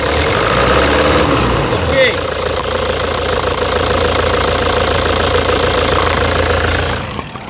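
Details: 2009 Toyota Hilux diesel at idle before repair. A sharp, fairly regular knock about three to four times a second over the clatter comes from a stuck, faulty injector, later fixed with new nozzle tips.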